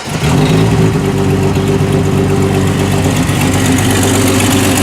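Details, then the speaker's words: 1989 Jeep YJ with its original exhaust system before replacement: loud, deep, raspy idle with a steady rumble, far louder than stock, from a cracked, leaking exhaust on both sides. "can hear how loud that is, and it is not supposed to be that loud. When you go to the other side, it is just as bad."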